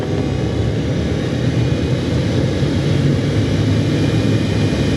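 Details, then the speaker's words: 2014 Ford F-150 A/C blower after the broken recirculation blend door damaged the fan and caused rubbing; after blower motor replacement and shaving down the worn edges, fan turned up to high speed: steady smooth air rush, no rubbing, ticking or scraping. "all you hear is the fan moving"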